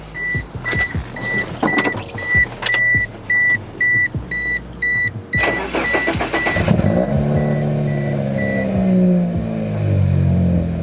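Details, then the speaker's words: Barn-find 2G Mitsubishi Eclipse with overheating history, battery below 2 volts, started via jump pack boost; beeps, starter cranks in quick pulses, engine catches and settles into steady idle; normal start. "Now, we're just going to start it up."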